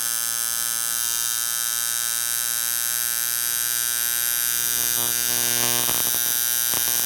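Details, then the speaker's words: Camber Custom coil tattoo machine with short coils overdriven at about 11–11.5 volts (max advised about 9.5): fast high buzz roughens and chatters as the front spring flutters and bounces on itself; overvoltage would heat and could eventually burn the coils. "and it started to sound a little bit crap it started to reverberate a bit so the spring sort of bouncing around a little bit on itself so it's the spring itself is flattering"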